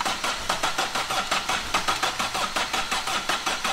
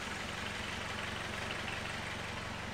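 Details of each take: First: Astra van diesel, freezing cold, first start attempt after battery and coolant fitted: rough uneven chuffing around eighty a minute, never settles to idle; starts but won't stay running or rev, battery tested only 11 volts. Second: Vauxhall Astra van diesel after resetting the manual injection pump adjustment screw: soft, even chug with regular low beat, no rattle or hunting; engine dialed in, normal idle.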